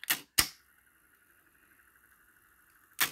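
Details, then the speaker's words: Pioneer CT-F900 cassette deck with original idler tire and a stronger cut-down Marantz idler spring fitted, the weak spring having been the fault: button clicks, then faint steady whir without wow or slipping; healthy transport. "so it wasn't the idler tire at all it was the spring that was the problem hmm so it's working perfectly"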